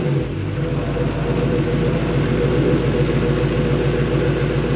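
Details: Lexus GS460 V8 at idle after a spark plug change: an even, settled idle with a steady low burble and no skips or roughness. It starts with no warning lights and runs normally.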